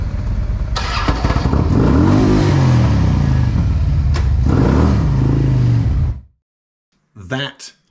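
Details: 2007 Harley-Davidson Ultra Classic, 96 cubic inch with Screaming Eagle 255 stage 2 cam, hot start: heavy uneven clatter for several seconds, about three knocks a second, identified as a worn compensator; owner first suspected needing compression releases.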